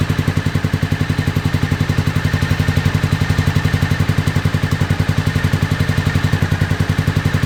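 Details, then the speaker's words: 2001 Honda VFR Interceptor just revived after nearly a decade in a barn, old fuel, jump box; runs only at full throttle; owner suspects mouse nests. Lumpy uneven beat about four pulses a second: misfire on several cylinders. "there it'll only do that at Full Throttle man but it's running"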